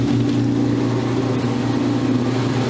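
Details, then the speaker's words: Modern Roper washer on a drain-and-spin cycle with a load, recorded early 2019: loud steady low drone from motor and drum, heavy and labouring, struggling but not banging or throwing itself off balance. "It already sounds like it's struggling. You ready for this? It's going to kick itself off balance."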